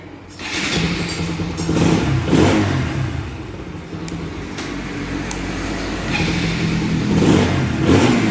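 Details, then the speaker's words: Bajaj Pulsar NS 200 after replacing the starter clutch one-way: self-starts easily, engine catches and revs up and down smoothly with no grinding or clatter from the starter, unlike before repair. "చూడండి start చేస్తాం ఎంత simple గా start అవుతుందో చూస్తున్నారు కదా చూడండి friends ఇంతకు ముందు లాగా సౌండ్ గాని ప్రాబ్లం గాని లేదు"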